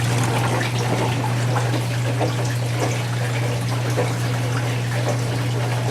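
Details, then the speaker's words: Whirlpool Duet Sport front-load washer after control board solder reflow fixing F-1 relay error, during rinse: steady low pump hum with water gurgling, drum not spinning while much water remains; drain pump running normally. "It doesn't spin when there's still lots of water, so the pump is pumping it out right now only."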